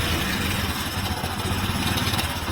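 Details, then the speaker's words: Hero Passion Pro 100cc motorcycle, timing chain set replaced a month earlier, noise when engine is hot: busy metallic jingle over the idle beat; timing chain rattle, one part left unreplaced by mechanic. "तो बहुत ज्यादा sound है तो friends आप लोगों ने देख लिया होगा कि इंजन में कितना ज्यादा साउंड आ रही है"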